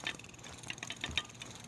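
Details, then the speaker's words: Ancheer folding electric bike: sharp, light clicks at an uneven pace, roughly four a second, from the hub motor, occurring only while riding; source not otherwise identified. "there's something clicking and there we can't identify anything else that the click is coming from so it's definitely coming from in there and it only does it when I ride it"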